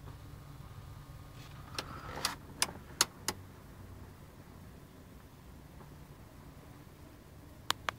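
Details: Nissan 300ZX, quiet cabin: bursts of sharp irregular clicks from behind the dash. Owner suspects the vent-control gears or their motors in the heater box; fixed by replacing the whole heater box.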